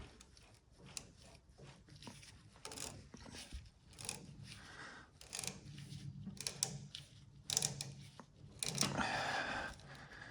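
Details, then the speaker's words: Circa-1932 Bennett Model 450 twin gas pump, a California barn find idle over 40 years, being hand-turned after ATF and penetrating oil to free the rusted pump: irregular dry crunching and scratching from a super dry drive belt; loosening as turned, new belts may be needed. "The belt is super crunchy. You can hear the sound of the dryness of the belt."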